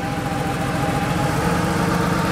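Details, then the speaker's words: Porsche 3.2 Carrera flat-six on first start after rebuild, warmed up: steady, fairly even low idle with a faint hint of unevenness; earlier rough, one cylinder suspected unhappy, now settled but still feels slightly uneven when revving up and slowing down. "has settled into a nice pretty solid idle actually but it still feels a little bit when they're speeding up and just slow down"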